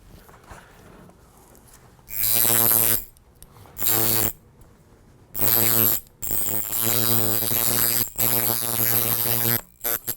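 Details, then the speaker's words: Coil tattoo machine, after trimming the spring still attached to the armature bar, converting a fast soft shader to a harder, slower color packer: short bursts of steady electric buzz, still about 114, with more force; runs properly. "We have a little bit more force there. still at 114, but we have a little bit more force. It actually feels like it'll push a needle."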